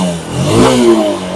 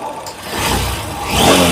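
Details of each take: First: Honda SP 160 BS6 motorcycle, high-mileage, with pickup and intermittent starting problem from a shorted spark plug cap, after replacement: quick rev climbs and settles with an even, clean exhaust note, no knocking; running fine. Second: Honda SP 160 BS6 with a check engine light, intermittent starting and poor pickup. Revs rise unevenly and stumble on throttle, a misfire; the plug cap is suspected shorted after riding in rain and was found carbon- and dust-fouled inside. Before the genuine cap was fitted.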